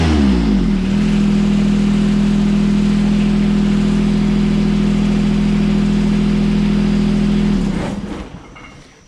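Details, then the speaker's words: John Deere 455 lawn tractor, engine already warm: steady, even engine note holding one speed with no knocks or misses, then it winds down at shutdown. Runs really nice, with less rattle than the owner's other 455. "I said runs really nice I'm overall happy with the purchase this thing actually rattles less than my my current 455"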